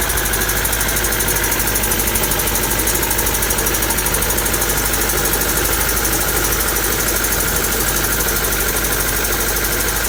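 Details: Honda D16Y7/Y8 engine at idle: fast rough ticking knock about three a second, sounding like bottom end; owner suspects a spun bearing from too much nitrous, unconfirmed.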